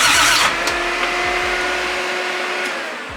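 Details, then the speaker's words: Built 1JZ-GTE swapped into a Nissan 350Z, before first start: a steady, even starter whir as the engine turns over normally. Cranking was fixed by plugging in the chassis-harness ground plug to the starter. "it cranks over"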